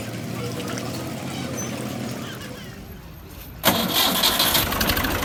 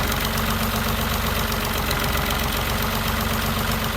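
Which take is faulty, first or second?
second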